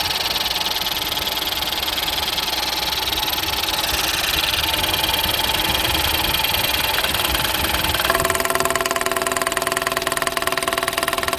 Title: tapping noise when started 1.0 ecoboost